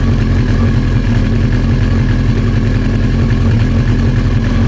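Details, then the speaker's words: Old Honda CBR900 Fireblade idling with the fuel tap turned off, trying to reproduce the customer's backfiring (suspected reserve-tap user error): steady, even idle, no misses or stumbles, not acting up yet. "It's still running and it's not doing anything."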